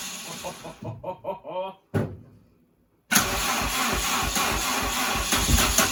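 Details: Mini with C20XE engine, first start after new fuel lines and water system. Several cranking bursts, a cough, then an uneven, lumpy idle. Owner suspected firing on the exhaust stroke and moved the 1-3-4-2 leads. Rough running, needs tuning.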